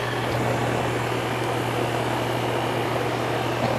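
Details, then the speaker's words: Air conditioner with a no-cooling complaint, after replacing a failed capacitor; a steady low hum with an even drone and no rattle, the compressor running normally. "Ooh, I love the sound of that. That sounds like a sound of a compressor coming on."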